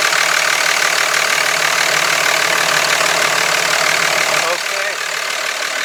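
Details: 5.9 Cummins diesel pickup idling on a cold day after a fuel filter change; even diesel clatter at steady idle with no misses or stumbles, running normally.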